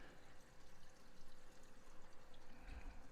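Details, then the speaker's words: Reef tank overflow drain after adding an air-control valve: steady splashing trickle of water falling down the pipe onto the 90° elbow with a soft low rumble, no gurgle; expected, normal drain flow. "I don't hear that much. I'm hearing water come straight down the pipe right here and hitting the 90, but that's kind of expected."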